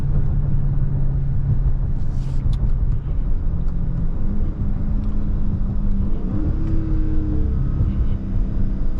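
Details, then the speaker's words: 2023 Dodge Scat Pack Widebody Last Call cruising on the freeway with windows down: heavy low throbbing rumble drowning the engine note, wind buffeting from open windows. "I don't know if y'all know what I'm talking about, but like when you on the freeway and you got the windows down and make that loud ass noise, that shit irritating."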